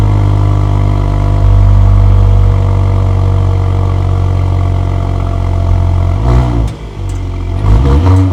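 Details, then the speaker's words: Mercedes GLE53 AMG, first start after a full engine rebuild, warning lights on: fires instantly with the starter barely heard, holds a strong even idle, clean throttle blips rise and fall smoothly; normal running. "Like I said, it's weird. You don't even hear the starter motor. It just fires up like clockwork. Boom. Pretty awesome."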